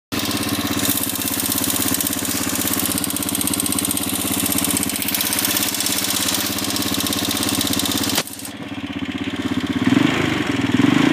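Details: CG250 single-cylinder idling with a fast light tick over the exhaust beat, roughly three per second; source not pinned down, owner suspects valves.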